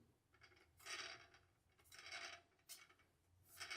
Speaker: I've been on two flights so far just two since I got this and it didn't make any prop nose initially but after the second flight here's what I'm getting from the props all four of them